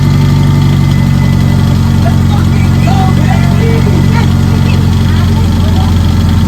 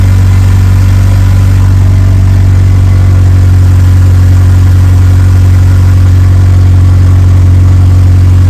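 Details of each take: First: Mitsubishi Evo 8 engine swapped into an Evo 6, first start: quick light ticking about four a second over steady idle, isolated to a lifter sitting low/unseated so its rocker moves back and forth; others fine. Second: Evo 8 4G engine in an Evo 6 after fitting a lifter to remove play, cold start then warmed up: loud steady low hum at even idle, no ticking or knocking; sounds like a normal 4G.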